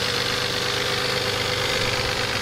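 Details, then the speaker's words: Used, neglected Toyota 3.4L 5VZ V6 in a 1996 4Runner after head gasket reseal, at full running temperature: steady idle with dense diesel-like clatter from one side, only when hot, no smoke, revs fine; cause unconfirmed. "a little clattery kind of [Music] sound it almost sounds like a diesel"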